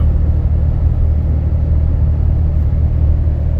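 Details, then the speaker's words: 2012 Dodge Ram 6.7 L Cummins diesel, deleted (no muffler, DPF or cat), 4-inch turboback not dumped, H&S Mini Max stock tune; in cab, windows up, AC on, 70°F, cruise 60–62 mph: steady low rumble, no drone, sounds stock. "And just real quick, as you can tell, there's no drone. I mean, this sounds stock on the inside with the windows rolled up. And I have no muffler, no DPF, no catalytic converter."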